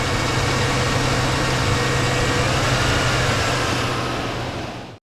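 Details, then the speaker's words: High idle with the linkage checked by hand: steady fast idle hum that does not drop, then cuts off; something is holding the throttle plates open, possibly throttle not centred, before air horn removal to inspect. "something is keeping these shuttle plates and until they've got it placed up now it could be the throttle is not centered"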